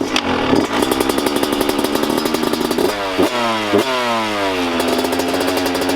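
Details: 125 two-stroke dirt bike (YZ125/KX125 pair), left unridden all year over a motor issue: sharp, loud, rapid ticking at idle over the ragged two-stroke idle that goes away as revs climb; seems to come from the top end, cause unknown.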